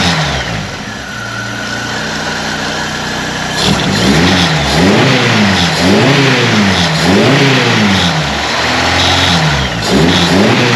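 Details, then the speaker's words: 1931 Ford Model A coupe with 2.3L four-cylinder, just started and warming up: loud but even fast idle, then clean revs rising and falling with no misses or knocks; runs smooth, just loud for a four-banger. "Thing's pretty loud for a little four-banger."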